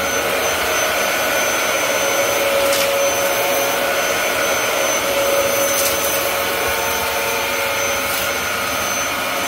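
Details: Dyson DC07 upright vacuum with brand-new clutch assembly, cleaning carpet: steady high-pitched motor roar with thin whistle on top, even throughout; running normally.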